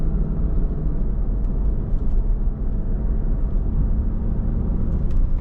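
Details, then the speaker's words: Cadillac DeVille on first drive after new wheel bearing and hub: only even low road rumble at cruise, no growl or hum rising with speed; earlier bearing noise grew louder with speed, not rpm. "Here's the maiden voyage with the new uh wheel bearing and hub. Let's see if we get any noise. Smooth as butter."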